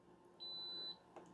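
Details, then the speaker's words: Multimeter continuity test on a new fuse kit after soldering with a Pinecil iron: single clean high beep about half a second on a quiet bench; fuse conducts and is intact. "red to Red beep black to Black beep and then let's test our fuses"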